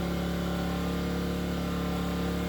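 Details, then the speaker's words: Enkeeo SC2300i 2300W 79cc 4-stroke OHV inverter generator, a 1500W load switched on high: steady drone with a firm low hum, speed holding even as the load ramps from 562 to about 696 watts. Normal operation. "Let's turn it on. Is it on high? 562 watts. It's ramping up."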